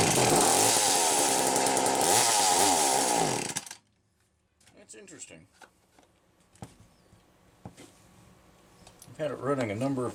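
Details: McCulloch Power Mac 320 Auto-Sharp two-stroke chainsaw, carburetor recently loosened: revs unevenly, pitch surging up and down, then cuts out; rough running, carburetor pulse hose found disconnected.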